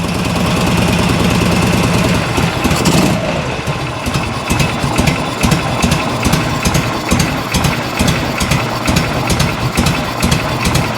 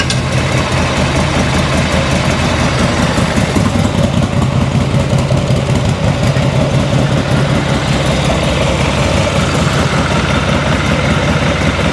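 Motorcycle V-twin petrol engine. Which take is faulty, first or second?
first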